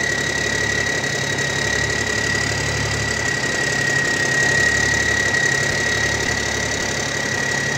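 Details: Old military truck diesel, likely a newer-style big cam, idling with a steady, even clatter and no misses or surging, plus a faint constant whistle; runs really good; normal idle.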